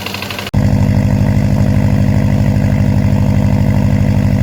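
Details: Car that lost boost on the highway with check engine light and code P0011: at idle, a loud, even knock about three per second. Owner suspects rod knock; unconfirmed.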